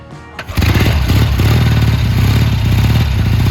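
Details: Triumph T140 twin after fitting new carbs, spark plug had found heavy oil and oil level low: fires almost at once and settles into a steady, even twin-beat idle with no misses or stumbles; running cleanly.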